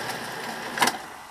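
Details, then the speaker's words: 1982 Betamax recorder, powered on for a test play: soft steady whir from the spinning tape mechanism with one brief clatter; the spin looks a bit slow, owner unsure if normal. "You hear that whirring? Don't get that nowadays. Let's see it. It's spinning round."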